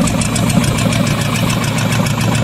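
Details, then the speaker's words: Used 350 small-block Chevy in a Dodge Dakota at idle, after overheating from a stuck thermostat: rough uneven loping idle that stumbles; pulling number three plug wire changed nothing, plugs found in poor shape; misfire. "the second thing is act like it's was missing so pulled the number three plug wire off and act like it wasn't doing anything"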